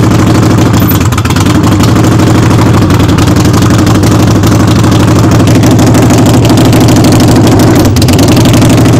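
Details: Harley-Davidson Sportster idling in neutral with the rear wheel off the ground, warming up before an oil change: a loose, lopey V-twin beat of about three pulses a second with mechanical rattle and no missing. Normal running.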